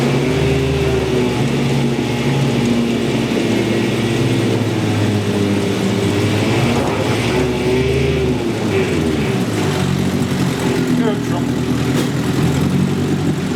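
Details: 1963 Evinrude 5.5 HP two-stroke outboard after ruling out the reeds, fuel pump and magneto spark: steady buzzy note wavering slightly with throttle, firing evenly without misses or knocks; running well.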